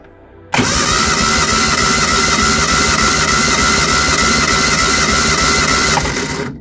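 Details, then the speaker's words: Reliant Supervan engine during a compression test on cylinder 1, plugs out: steady, even starter cranking for about six seconds with regular compression beats; about 115 psi, slightly below the other cylinders at 120–130, normal healthy compression. "one's slightly lower, but it's still well over 100 psi, probably about 115 psi. So I reckon that that engine is pretty good and healthy."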